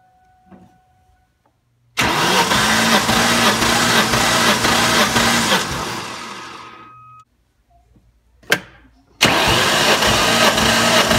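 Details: 2003 Ford Mustang Cobra (Terminator), about 140,000 miles, cranking with the plugs out during a compression test: strong, even cranking about two turns a second; engine spins freely, compression just shy of 150 psi, healthy.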